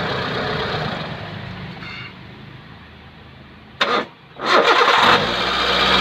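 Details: Hyundai Santro making a loud noise on start: harsh, loud whirring roar after the starter, settling into idle; worn power steering pump bearing.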